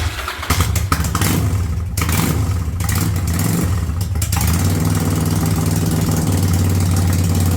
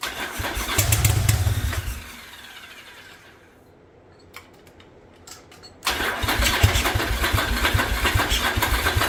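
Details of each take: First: 1985 Yamaha Virago V-twin with a single-carb conversion, cold, choke coming off and idle turned up to about 1000 rpm: a few uneven catches and blips, then a steady, even idle with no misses or knocks. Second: 1985 Yamaha Virago twin barn find, single-carb conversion with DIY manifold, started on choke: catches and runs ragged, dies, restarts just as rough; seems to fire on only one cylinder, smoke from front pipe.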